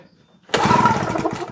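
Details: JCB two-stroke generator unused for a couple of years, with the throttle operated by hand: one quick pull-start churn of about a second with no firing or catching; hard-starting and won't fire.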